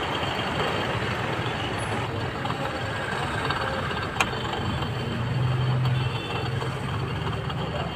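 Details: Toyota Innova diesel after starting: rough, steady rumbling whir from worn AC compressor pulley bearing.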